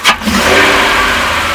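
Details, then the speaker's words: Engine with its rear doghouse cover removed, lopey rough idle: a sharp hissing suction on a hard throttle snap, then a rushy rising rev instead of smooth acceleration; a vacuum leak is suspected and is to be checked with a smoke machine. "If I crack the throttle really hard, you can hear that sharp suction"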